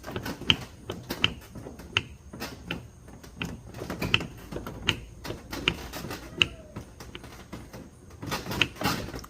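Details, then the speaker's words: 2007 Dodge Charger, engine off, front end rocked back and forth: sharp irregular clicks from the front; worn upper strut mount bearing, to be fixed with pre-loaded struts. Strut mount bearing clunk. "that's a sound here we never hit the brakes hard you can hear that click up forward or back"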